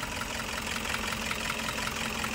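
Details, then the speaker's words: Toyota Hiace 2KD diesel idling, engine shaking, long cranking to start, loss of power, dies when throttle released: clattery uneven beat with pulses at irregular gaps, misfire. "Oke Guys kita hari ini lagi nanganin mobil Toyota HS dengan kendala mesinnya goyang terus dia starternya paya hidup panjang startnya"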